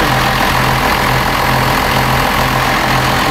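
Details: Cummins diesel with timing gear skipped one tooth, timing light shows about 16–17°, roughly 4–5° advanced: loud steady idle with a hard, even clatter and slow pulsing drone; advanced injection timing.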